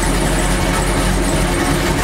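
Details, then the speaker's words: Chevy truck with a loud, rough, uneven exhaust rumble at idle; the driver-side muffler is suspected, and something rattles in it when the door closes. "but guys yeah I hear my mufflers it sounded like poopoo right now and I'm pretty sure it's my one muffler it's on this side the driver size"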